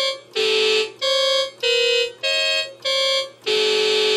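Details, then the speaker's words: Oberheim OB-SX synth with the voice card swapped into slot two: held notes shift pitch; fault stays in slot two, so the cause is the keyboard control voltage feeding that slot (suspected failed keyboard CV buffer op amp), not the voice cards. "the problem is not with any of the voice cards but with the keyboard control voltage coming in to this voice card number two so we'll have to lo"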